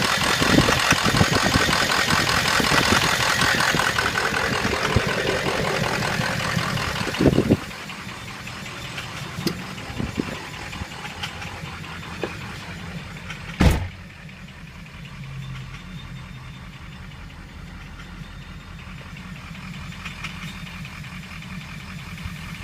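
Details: Ford 6.0 diesel V8 idling with a steady, rapid knock about four times a second under the engine clatter. The owner does not know the cause.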